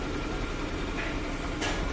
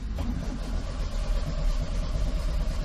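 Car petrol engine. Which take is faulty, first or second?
second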